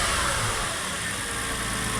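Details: Porsche 986 Boxster S just after replacing the air-oil separator, idling with the air filter removed: a smooth, steady idle with loud intake rush and no knocks or misses; the engine runs healthy.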